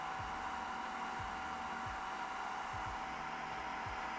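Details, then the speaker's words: Creality K1 3D printer side part-cooling fan, measured at about 67–68 dB total before muffler and baffle mods: a loud, steady high-speed blower rush with a fixed upper-mid whine. The fan is healthy but noisy. "okay so we got about 67 or 68 DB in total that is where we stand with the side fan"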